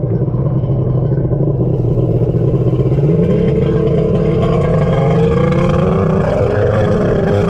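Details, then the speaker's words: X2 two-stroke jet ski under load on the lake: burbly, uneven drone slowly climbing in pitch; sounds like it's running very rich despite being leaned out, not working properly. "I don't know if you guys are picking up on that but the X2 is clearly not working properly it sounds like it's running really rich even though I've been leaning it out"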